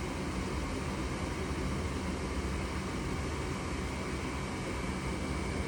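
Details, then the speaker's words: Goodman furnace that flashed 3 blinks (open pressure switch), now lit after cleaning the pressure switch port and reseating its connectors; steady even burner and blower roar, no clicking, surging or dropping out. Normal running after fix. "Pressure switch, you just gotta clean it or just play with it, and a lot of times it will work."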